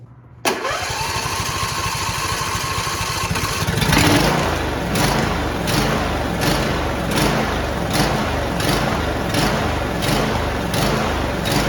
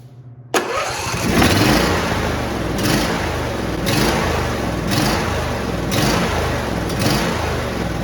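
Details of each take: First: John Deere D170 lawn tractor, 25 hp V-twin with twin-barrel carburetor, after fixing surging/sputtering and idle stalling (Torx bolts threadlocked, fuel line and filter installed): starts promptly, runs steady and even, cutting grass normally. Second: John Deere D170 lawn tractor, 25 hp V-twin with a twin-barrel carburetor: it catches, then idles unevenly, sputtering, surging and stumbling about once a second; idle then immediately dies.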